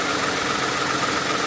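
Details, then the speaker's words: Steady idle with light, fast clacking over the engine note from worn idler and tensioner pulley bearings on a 2008 Toyota Sienna minivan camper; the noise is heard before replacement. "Eventually, over 100,000 miles, it will wear out. If you listen carefully, you can hear that clacking noise."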